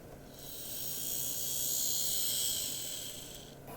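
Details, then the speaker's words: Graham Farish Class 44 (later split-chassis) on DC test track after replacing a broken gear: soft even whir swelling as it passes, no clicks or catching; runs smoothly with good slow crawl. "yeah she's absolutely running a treat one thing i do notice is the 44 it looks quite quick on screen but it's actually not that fast"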